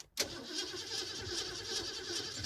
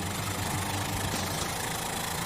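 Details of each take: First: 1969 Mustang 302 V8 that sat over 27 years, started after a can-of-leak-fix radiator repair: catches almost instantly and settles into a steady, even, smooth idle; normal start and idle. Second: 1969 Mustang 302 V8, long-dormant, after hard donuts: rough, stumbling idle with fast uneven clatter, barely running before it shuts off; collapsed lifters.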